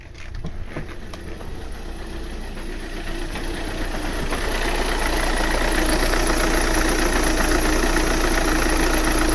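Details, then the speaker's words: 2009 VW Tiguan 2.0 TDI diesel at idle: revs jump and the car shakes, with an uneven, lumpy beat as if running on three cylinders; misfire, with blue-white smoke and strong smell from the exhaust. "so the car is shaking a lot i can see the revs and the car is shaking like you can feel"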